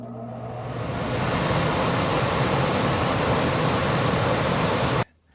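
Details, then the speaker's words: ICP Comfortmaker gas furnace system after blower motor work, cooling call: rushing hum builds over about a second then holds a steady even roar with no rattles; outdoor condenser starting normally. "Let's see if we hear the condenser come on. Oh yeah."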